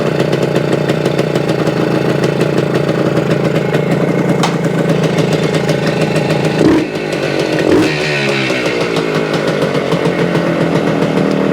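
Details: 1975 Suzuki TS-250 two-stroke, 6-volt system, after no-start repair: crisp, even idle with a couple of brief throttle blips, settling back smoothly; runs after stator rewired, frame paint scraped for coil ground, coil remounted.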